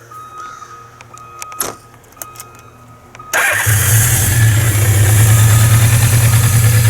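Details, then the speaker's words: 1982 Suzuki GS650G motorcycle with a manual choke, cold-blooded but already warmed up, 124 miles ridden since restoration: a few clicks, then a quick, healthy start that settles into a strong, even low idle. "okay obviously it's been warmed up it's pretty cold-blooded it's got a manual choke uh but yeah once it's running and warmed up it runs really well i'm real happy with it"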